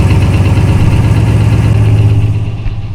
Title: Rod Knock, Knock, Knocking on Heaven's Door